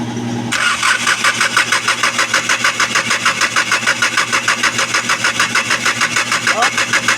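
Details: Hyundai D4CB diesel crank no start from an injector problem: steady starter churning, about three compression strokes a second, never catches.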